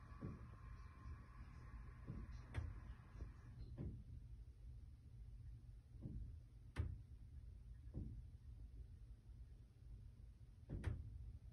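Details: Top (10th) floor corner condo, built 2020 in Montreal, no boilers or AC on roof above: dull heavy thumps every one to four seconds from ceilings at varying spots over a low hum; intermittent banging, source unidentified.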